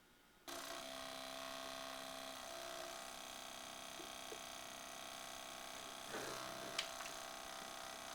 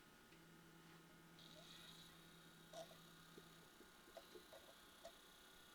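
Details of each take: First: This is how to fix your Pioneer DV-440, a DVD player from 2001, for making a grinding whirring sound. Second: Pioneer DV-440 DVD player (2001) after fix, loosening an overtightened tiny mechanism screw that caused grinding: disc plays almost silently, only a faint low hum and soft mechanism clicks, no grinding.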